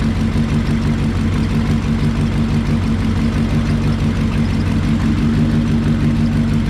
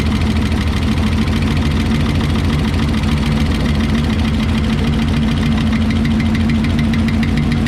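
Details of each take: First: 1968 Lincoln Continental 462 V8, just after an oil and filter change to Rotella diesel oil to cure a valve tick, not yet fully warmed: deep, even idle rumble with no ticking. Normal idle, tick resolved. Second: 1968 Lincoln Continental 462 V8 idling after an oil change to Rotella diesel oil, oil topped up to full: fast, uneven light ticking from the top end, probably the lifters, over the rumble; valve train tick still present at idle.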